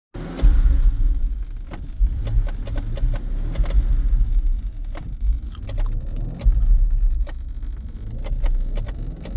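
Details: 2009 BMW F01 with sharp, irregular clicking from the gear selector area over a low cabin rumble; cause unknown.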